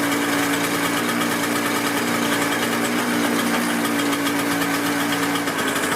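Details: Toro CCR 6.5hp snow blower readied for the season, just started after priming, key on and choke out; catches and holds a steady, busy two-stroke buzz at even speed, no stumbling or misfires; normal running.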